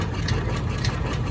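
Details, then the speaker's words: John Deere Gator 4x2 after carburetor and jet cleaning and a battery jump start: single-cylinder engine idles on its own with a low, steady thump and no misses, no throttle applied, much smoother than before; owner plans to raise the idle. "A lot smoother than it was. We still need to kind of tune it up a little bit. But I'm thinking if I increase the idle, it should be good. Right now it's not dying and we're not giving it gas."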